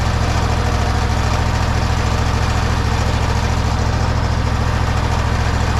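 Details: Toro zero-turn mower, after replacing the old clutch: even, steady low thrum at idle with no knocks, misses or surging; small engine running smoothly, normal idle.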